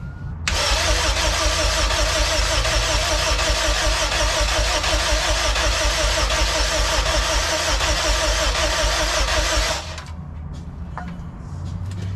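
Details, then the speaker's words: K20-swapped Honda EF sedan, first start attempt, cranked at the starter with throttle held open: steady, even cranking about 160 a minute for nine seconds, never catching; injectors appear not to fire, only tries to catch on brake cleaner. "it's like the injectors aren't firing because with brake cleaner it wants to go but it's not going"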